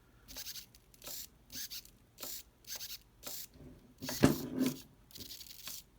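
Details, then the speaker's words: Original steering servo from an HPI RS4 nitro RC car: harsh rasping buzz in bursts, rough non-smooth movement, still twitching with no input and worst in reverse. The servo is shot and is being replaced. "Yeah, it's like glitching. You can hear it in reverse really bad. You hear that? It sounds like it's frying inside."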